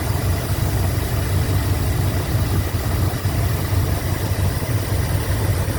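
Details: 1987 Chrysler Fifth Avenue V8 after new lifters and manifold gaskets: smooth, deep, even idle rumble, lifter tick gone.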